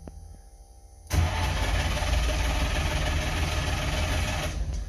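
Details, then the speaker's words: DKW two-stroke car sitting a month or two, choke on, fuel pump running; starter click then steady churning crank for about four seconds with no firing: cranks, no start; owner lets fuel pump run longer. "Not even a pop. Let's let that fuel pump run for a little longer."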